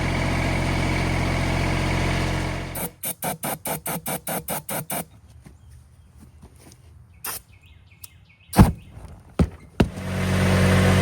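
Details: 2014 Kubota ZD221Z diesel zero-turn mower after six months' storage: even low diesel drone, cut off, then about four cranking pulses a second before it fires again and idles steadily.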